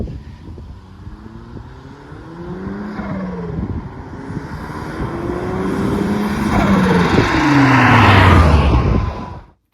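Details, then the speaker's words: Toyota Celica GT-Four, 3S-GTE turbo engine, ruined OEM bypass valve, before the repaired Synapse blow-off valve was fitted. Pulls through the revs, then a fluttering turkey-like gobble on throttle lift between shifts: compressor surge, harmful to the turbo. "however what you're hearing is surge and that is terrible for the turbo and i want this resolved asap"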